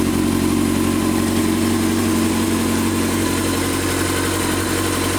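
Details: 2006 Honda CBR 600 F4i motorcycle engine idling steadily with a light, fairly regular tick running through the exhaust note, evident at 10–21 and 32–38 seconds.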